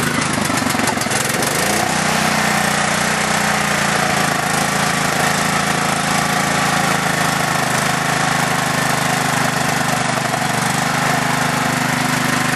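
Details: Craftsman LT4000 lawn tractor project, small single-cylinder engine on two-year-old unstabilized gas, carb not yet cleaned, started via jumper wiring: steady, busy running with a fast light tick over the exhaust; owner suspects valve noise, unsure.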